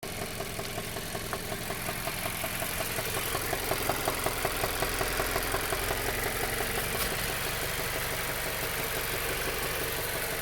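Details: 2016.5 Mazda CX-5, oil checked good: sharp regular ticking at idle keeping pace with engine speed, also at 2000 rpm; less noticeable while moving, briefly heard when decelerating.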